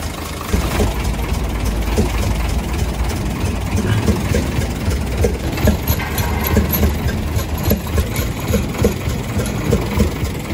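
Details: UD Nissan PKD 411 truck, NE6 six-cylinder diesel at idle: soft chuk-chuk chuffing with the firing beat, louder from the intake side; intake valve found leaking.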